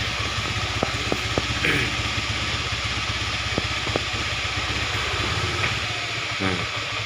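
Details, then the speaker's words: Honda Beat FI scooter, battery jumped: idle thumps unevenly and hunts, then drops away as the engine stalls on its own; unstable idle and stalling. "itu modelnya kayak kial ya. Stasioner itu tiba-tiba ntar mati sendiri ini ya."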